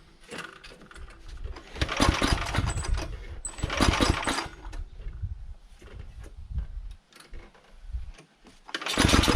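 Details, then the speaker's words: Carter 2435 go-kart fitted with a 12.5 HP Tecumseh engine swapped in from a Sears Craftsman snowblower, governor linkage disconnected, no air box: engine fires and revs in surges, drops away between bursts and stalls when throttled, carburetor wide open. "well we have throttle but it stalls out and decel there's nothing around this carburetor is just wide open"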